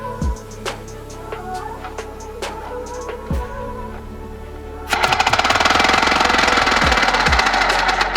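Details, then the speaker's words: 3D-printed 4-stroke compressed-air engine, pressurized to 60 psi and bled toward 50 before starting: sparse puffs, then fast even exhaust-pulse chatter as it spins up; measured 1300 rpm at the cam, about 2600 rpm at the flywheel; normal running. "that time we got 1300 rpm at the cam which means we got just about 2600 rpm at the flywheel"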